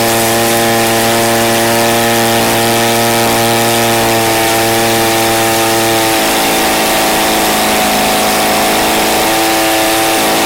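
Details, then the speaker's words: Redmax BCZ2460S two-stroke string trimmer running: high buzzing note that holds, then drops and wavers unevenly between speeds, won't run steadily; abnormal running, probably fuel or carburettor, not confirmed. "That's not supposed to happen. Let's see. Does that sound normal to you guys?"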